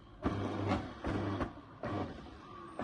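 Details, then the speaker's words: Kuvings B1700 cold press juicer after DIY repair of a non-working forward button: short bursts of low motor hum that start and stop cleanly, no grinding; motor now runs in both forward and reverse. "है। Reverse भी चल रही है और forward भी चल रही है, ठीक है।"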